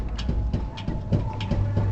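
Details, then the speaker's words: Toyota Hilux SW4 on a lift, body rocked by hand: sharp higher-pitched tapping knocks about three to four per second from a worn sway bar end link, stopping when the link is held; link to be replaced. "Ó, dá para ouvir um estalo mais agudo e um tecttec. Bom, o tecttec só assim que você percebe, ó, a bieleta aqui comba problema."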